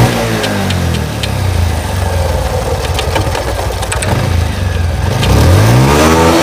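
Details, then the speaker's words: Pulsar motorcycle in third gear with the clutch half-pressed, giving a low engine drone with a loose, uneven clatter near four a second. The mechanic attributes it to the chain slapping; the cause is suspected, not confirmed. The grinding heard in fifth gear is absent in third. "আশা করি বুঝতে পারছেন, মানে যখন half class করা থাকে chain থেকে খটখট খটখট সাউন্ড আসতেছে।"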